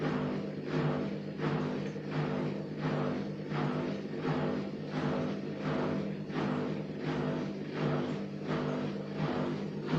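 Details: Gorenje WA50060 front-loader, recorded 2017: steady drum-like pulsing, about 1.5 beats a second over a low hum, only after the pump finishes draining, not during washing or spinning; cause unknown.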